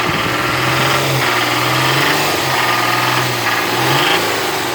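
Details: Nissan VQ35DE V6 idling: steady idle with a fast, light knocking from the top of the engine; top-end knock, exact source unclear.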